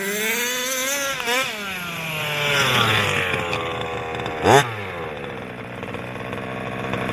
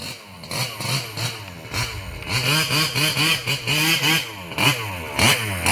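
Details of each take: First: Losi 5B TLR with OBR 34 two-stroke engine, before rebuild: buzzy note swinging with throttle over a loose metallic rattle; teardown found one failed crank bearing (coil and starter had been checked). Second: Losi 5B with OBR 34 two-stroke motor, first fire-up after rebuilding the bottom end following a failed crank bearing: crisp throttle blips rising and falling cleanly, no rattle or scraping; the earlier terrible noise seems gone.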